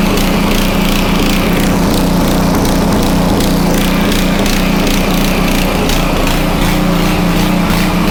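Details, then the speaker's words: Homelite 2500 W generator after air filter cover refitted, no load, choke tried: engine runs hard with uneven hunting note that won't settle; surging from ongoing carburettor problems, dirty removable jet later cleaned. "Still have carb problems. So, man, that's what happens."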